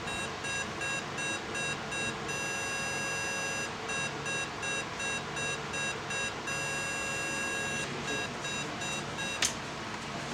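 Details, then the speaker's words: Hyo Myung light signal column electric horn PCB card after repair (components replaced, unit cleaned), bench-tested on 220V AC and 24V DC with a simulator: crisp high-pitched beeps pulsing in a steady pattern, working normally. "the power supply the unit reacts and we can hear the alarm sound from the simulator."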